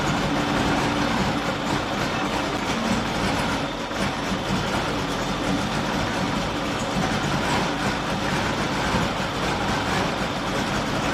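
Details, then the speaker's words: Triumph Dolomite 1300, carburettor refitted, dashpot topped up with ATF, started on a bit of choke after a week or two: uneven stumbling idle with dropped beats and lumpy rhythm; misfiring. "I decided to fit electronic ignition the uh engine wasn't running right last time I started it up uh misfiring uh stinking of fuel running like crap"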